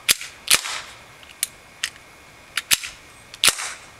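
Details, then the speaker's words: RAP4 Glock 10mm paintball marker, safety off, trigger fully reset and untouched: sharp uneven pops about every half second as the sear fails to latch and hold the hammer, so it fires by itself. "the sear is not holding safety's off as you can hear is firing every time the sears not holding and i'm not touching the trigger and the trigger is completely reset"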